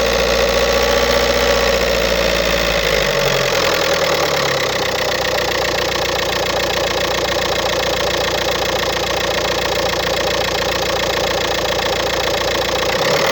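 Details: 2007 VW Golf Trendline 1.9 TDI diesel (BLS, 77 kW/105 PS, 240,050 km) catches and settles to idle with a loose metallic rattle over the diesel clatter. A defective dual-mass flywheel is the cause.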